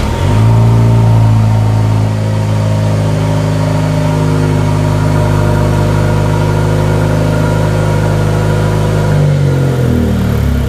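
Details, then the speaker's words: Used Jaguar F-Type with switchable sports exhaust, driven: deep, smooth exhaust rumble holding steady, clean rise and fall near the end, nothing rough; normal sports exhaust note. "they have what's called a "Switchable Sports Exhaust." That is a function where you press a button-and the car becomes somewhat even louder,-"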